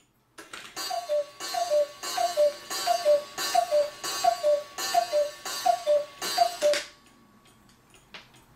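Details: Pre-World War I cuckoo clock after work on its movement: nine even two-note cuckoo calls, each with a bellows puff, about one a second, then silence. The strike train is working properly.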